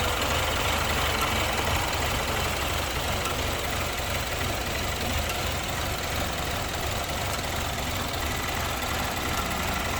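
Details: 2015 BMW during misfire diagnosis: idle carries faint slightly irregular thumping stumble about three beats a second, suggesting a misfire on one cylinder. Cause suspected, not confirmed.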